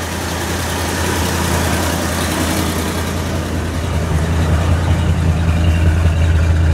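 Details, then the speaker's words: Cold-start idle of a truck, choke pulled out then pushed in a little as it warms; steady, even low rumble, no misses, knocks, shaking or smoke, running slightly rich on choke; normal idle. "fires right up and as it warms up you want to push the choke in a little bit running nice and smooth no shaking"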